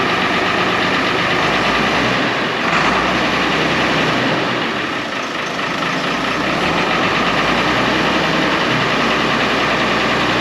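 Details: 1970 International Harvester 1456 Gold Demo barn-find diesel tractor, first start in 14 years: dense, even diesel clatter holding a steady idle with no misses or surging; the oil pressure light goes off, so it is running normally.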